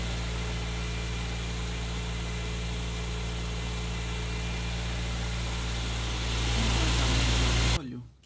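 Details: Old automatic car idling smoothly and evenly after replacing the cracked alternator and power steering belts (alternator belt 1180); the earlier squealing belt noise is gone, engine and belts sound healthy.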